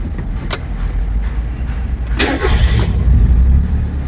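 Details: Mazda Miata MX-5 NA, first start after replacing the ignition coils and refitting the spark plugs: engine catches quickly and settles into a steady, even low rumble with no misfire or knock. Oil pressure rose immediately; normal start and idle.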